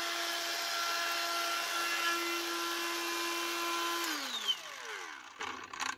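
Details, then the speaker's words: Makita angle grinder after bearing replacement (customer reported bad noise and burning smell): steady clean motor whine with no rattle or grinding, then smooth spin-down; bearings now sound healthy. "press this back on again that sounds a lot better no sound at all that's what we want"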